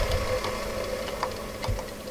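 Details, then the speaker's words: 2005 Kenmore Elite front-load washer, drum turned by hand: slow, uneven dry clicks and scraping, drum hard to spin; worn dry drum bearing that caused vibration, squeaking and rubbing during cycles. "You hear that bearing? It's noisy, dry. I can barely spin it, so hard to spin it."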